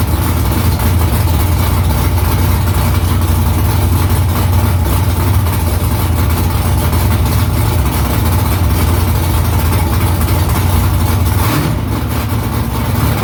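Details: First start after new headers were installed, exhaust back under the car. Deep, loud, even V8 rumble with a steady lope, no ticks or exhaust leaks audible. Smoke is from silicone drying around the header. Normal idle.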